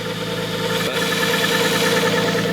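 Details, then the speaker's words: RB25 idling properly for the first time after installing an aftermarket cam and crank trigger and resealing the injectors. A steady idle with a constant whir, and the owners think the timing belt is too tight. "So it's idling normally finally. It sounds really good, but it kind of sounds like the timing belt's a little too tight, doesn't it? Yeah, I think the timing belt's too tight."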